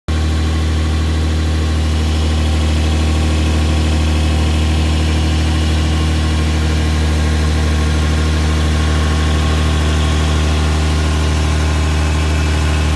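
Steady low idle with a faint uneven puffing pulse under the engine note, consistent with an exhaust leak somewhere in the system. Cause suspected, not confirmed.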